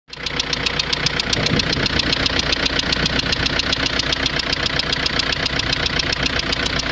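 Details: Renault Scenic 1.9 dCi diesel at idle: sharp, even metallic ticking knock about two and a half per second over steady idle; owner suspects injector knock, not confirmed.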